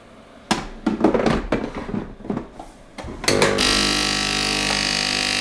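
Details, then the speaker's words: Sage (Breville) Oracle Dual Boiler, brand new, first setup: clunks as the water tank seats, then a steady even pump hum as it immediately draws water to fill both boilers during a software update download; loud cooling fan also running; normal. "Well, anyway, you hear that as soon as I installed the water tank, it started pulling water immediately, even while doing an update download. And it's going to fill for a long time because it does have two boilers to fill up."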